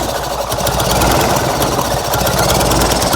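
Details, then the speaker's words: Fiat 126p engine with low compression on 92% denatured alcohol: rough, ragged, laboring idle close to stalling, burning a lot of fuel; it starts but will not keep running on this fuel; stumbling idle. "ogólnie widać że strasznie dużo pali tego do natura tu także zapalił ale nie będzie chciał chodzić na tym"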